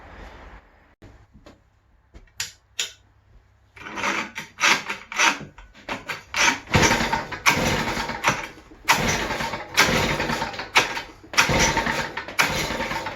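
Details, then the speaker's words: West Bend 580 two-stroke engine, sat unrun for months, after new recoil spring, starter cup and dogs: pull-starts catch into short ragged bursts that surge and die; won't idle, owner suspects dirty reed valves. "So I think why it won't idle, because maybe these are dirty, or I don't know."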